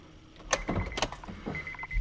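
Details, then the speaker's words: 2003 Honda Accord, supercharged, after installing an Aeromotive 11142 fuel pump: key cycled on and off, quiet clicks then a brief thin high whine repeated each time as the pump primes; afterwards the gauge shows no fuel pressure. "put the key in turn the unction on off you hear the pump each time starting for a few second and third time"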